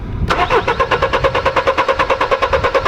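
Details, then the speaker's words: Mercedes W210 E-Class 220 CDI, stalled when warm, codes P1354 (no crankshaft signal): steady starter cranking about eight pulses a second with no firing, scope shows no crank sensor signal; faulty sensor to be replaced. "So yeah, totally dead signal from the crankshaft itself, from the crankshaft sensor. So yeah, for sure we have a faulty crankshaft sensor."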